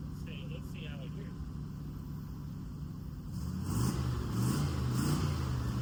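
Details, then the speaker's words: 1963 Chevy C10 small-block V8, recorded from behind, after new muffler fitted replacing loud open manifold exhaust: starts and idles with smooth even muffled burble growing slightly fuller; normal exhaust note. "Well, now it's quiet. Um, that sounds actually really, really, really good. I like how it sounds. It's still not super loud like it was thankfully because that was pretty bad driving around."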